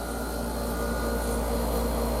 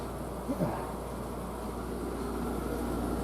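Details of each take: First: Garage mini-split outdoor unit hung on a wall bracket on a non-concrete wall. A constant deep low-frequency drone under a faint airy rush as compressor vibration shakes the wall; it needs isolating from the building: outdoor unit vibration transmitted to wall. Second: Newly installed garage mini split heat pump, running in cooling mode, heard outside at the outdoor unit: soft steady fan whoosh with low even hum, no rattles or scraping; quiet, normal fan operation.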